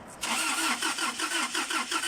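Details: 2009/10 Toyota Hilux with codes P0335 and P0123: starter cranks at a steady rhythm of about four pulses a second but the engine never catches. Crank, no start.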